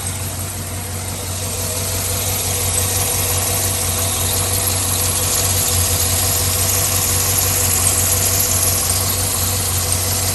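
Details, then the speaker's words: Chevy Suburban V8 idling after radiator replacement: quick even ticking keeping pace with the engine from a worsening driver-side exhaust manifold leak; manifolds and gaskets on both sides to be replaced. "re not leaking any coolant or oil oil transmission fluid but I want to know that you guys hear the exhaust leak on the driver's side it's getting worse it's from the exhaust manifold"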